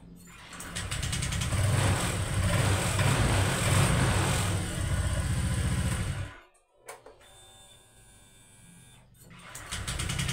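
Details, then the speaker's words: Honda Vario 125 (old model) with hard starting and a heavy starter: catches quickly and idles cleanly with a steady, even putter. "Sangat mudah ya, sangat gampang."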